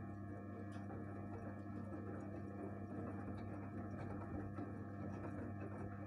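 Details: 1-year-old Gorenje 8 kg inverter washing machine with steady layered tonal hum and ringing whine throughout; cause unknown.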